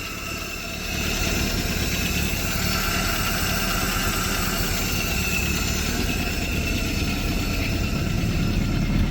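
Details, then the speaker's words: Willys CJ-2A running for the first time in 20 years, with no air cleaner on the carburetor: a deep, steady run with a loud hissing intake suck and a slightly rough idle; it has vacuum but is not running perfectly yet. "I need to get an air cleaner on that carburetor cuz it's just you can hear it it's got vacuum at least though that's pretty mint"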